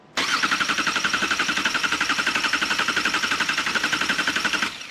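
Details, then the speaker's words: 2018 Subaru Crosstrek freshly installed junkyard engine, first start: cranked in clear flood mode (gas pedal floored before key on, injectors not firing) to build oil pressure; even starter cranking about four pulses a second, never catching. "I'm actually going to do something called clear flood mode which allows this to crank without the engine firing that is done by flooring the gas pedal before you turn the car to the on position and then cranking it won't fire the injectors"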